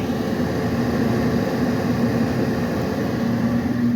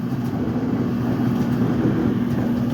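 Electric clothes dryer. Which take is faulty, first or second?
second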